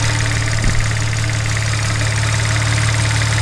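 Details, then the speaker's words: Car on first startup after a Pure 800 turbo install, fluids replaced and custom tune flashed, no fault codes: engine idles deep and slow with a slightly uneven throb and light knocking; idle speed abnormally low, cause not yet checked. "why is it idling so low let's go check it out"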